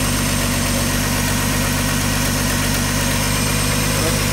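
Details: 1985 Ford F-150 300 straight six with 240,000 miles, running after cam gear replacement: steady, even idle with smooth low rumble, no knocks or misses; well broken in and running fine, though a slight exhaust leak is noted and cap and rotor likely due.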